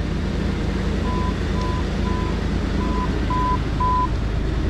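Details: 2003/2004 Jeep Grand Cherokee 4.0, automatic, after front-left impact; crank-no-start fixed by replacing blown PCM battery fuse: steady, even low idle under six short high beeps, smooth and healthy; normal idle after repair.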